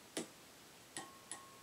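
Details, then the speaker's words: Willsenton R8 push-pull class AB tube amp, tapping the case: three sharp taps, the middle leaving a faint short high ring that fades quickly; normal mild tube microphonics, not a problem. "if you tap on the case and it rings a little tiny bit that's not a problem"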